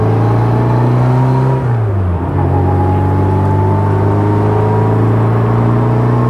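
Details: Restored 1960 Bugeye Sprite, started and warming up; steady even four-cylinder note climbing smoothly with revs and settling cleanly; engine running normally.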